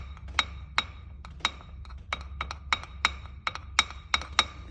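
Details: Skoda Octavia A7 facelift driving over bumps: sharp, irregular hollow clicks and knocks about twice a second from the rear right wheel arch, traced to a loose rear ABS wheel speed sensor.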